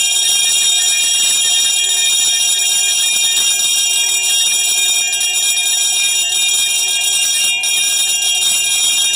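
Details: Edwards 341-T DC trouble bell, rated 20 VDC, run on 18 V from two 9 V batteries: fast, continuous, tinny high-pitched ringing, slightly off and uneven. The gong is loose and out of adjustment, ringing faster and higher-pitched.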